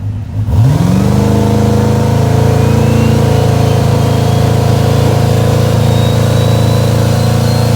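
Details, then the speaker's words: Fourth-gen drag car with a new bushing turbo (T6 housing) and new torque converter stalling about 2800 on the foot brake: the engine pulls up fast to a deep, even drone under load with a rising whistle, making 18 psi boost. Normal, healthy turbo engine. "That made 18 pounds. That sounds pretty salty. Yeah, if you pull timing, it'll come up on that boost, like."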